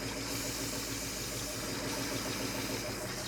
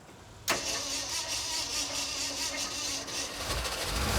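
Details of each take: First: 1967 Ford F-series truck V8 (H says V8) at a steady, even idle with no misses or knocks. Heard after the accelerator pump was confirmed working and before a compression test. Starter suspected loose. Normal idle, shut off to avoid overheating. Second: 1967 Ford F-series truck (model partly named) with the fuel pump running: long cranking with only a few scattered firings before it catches and stumbles into a rough, uneven run; hard starting that needed starting fluid.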